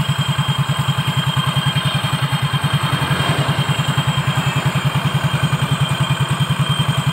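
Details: Soul GT scooter brought in for a rough klotok-klotok noise, running after repair: even single-cylinder putter at idle, about three and a half beats a second, no loose clatter; running sound.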